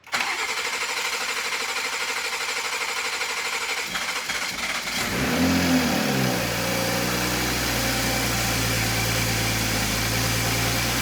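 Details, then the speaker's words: 2020 Toyota Supra B58 3.0 engine, first start-up after cylinder head replacement for cracks: starter cranks, fires and settles to smooth steady idle, no knocks or misses; brief smoke was loose downpipe V-band clamp, later tightened. ">> Wow, that sounds pretty regular."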